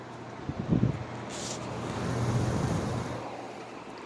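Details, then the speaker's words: Haier window air conditioner fan motor after bearing replacement and cleaning: steady low hum with a soft, even whoosh and no chirping or squealing. Normal fan running. "as you can hear no more chirping no more squealing no more squeaking"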